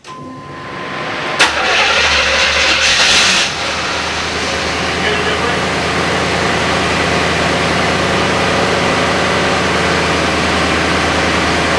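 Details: IROC Camaro V8, after an alternator fan that scraped its bracket was fixed: the starter whirs briefly, the engine fires instantly, flares up, then settles to a steady, even idle with no scraping or grinding.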